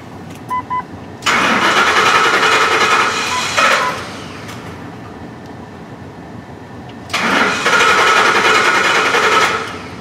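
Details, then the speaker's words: 2004 Ford F-150 5.4L, hot, stalls and won't restart until cooled despite new fuel pump and rail pressure sensor; codes P0191 and P1233 fuel pump driver module offline, low fuel pressure, O2 very lean: two even cranking bursts, no catch, fuel-starved no-start. "we verified that we do have low fuel pressure I couldn't get the o2s up in time the vehicle stalled and now it won't run"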